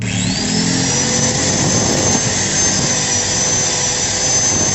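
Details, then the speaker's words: Angle grinder with a Modern M-2300B stator fitted to a Maktec MT90 and new CB-459 brushes, rotation corrected to counterclockwise: a quick spin-up to a high, steady whine with no sparking or scraping; normal running. "gesekan-gesekan mantaplah guys suaranya juga halus dan putarannya juga kenceng guys"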